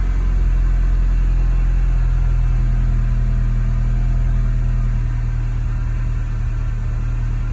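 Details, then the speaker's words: MK2 Golf GTI 16v, nearly 200,000 miles, top-end rebuild in 2004 about 25–35,000 miles ago, just started cold in garage: deep steady idle rumble with no knocks, ticks or misses; normal idle. "listen to that nearly 200 000 miles and it sounds great and it did have a top end rebuild 2004."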